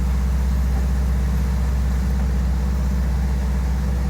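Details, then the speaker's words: VW Kombi with freshly redone engine (previously lost power on hills) crawling up a steep hill in first gear, not forcing it; low steady rumble, even beat, no knocks or misses; healthy under load, even asking for a higher gear. "mas tá indo ó devagarzinho tá até pedindo marcha aqui para ser honesto mas eu vou subir em primeira"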